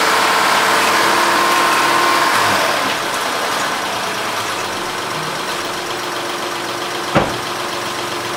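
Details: Honda Odyssey after Big-Sert repair of a blown-out spark plug hole and plug reinstalled: starts cleanly into a smooth, regular idle with no misfire or ticking, running evenly on all cylinders. Normal idle.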